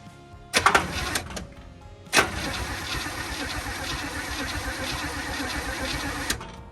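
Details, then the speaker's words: 1965 Acadian Beaumont V8, spark plug wires reinstalled in firing order and fuel added: starter spins steadily about four seconds with no firing; no spark, suspected bad distributor cap, unconfirmed. Cranks but no start. "I'm gonna say no spark again. Still no spark, eh? Maybe the cap is bad."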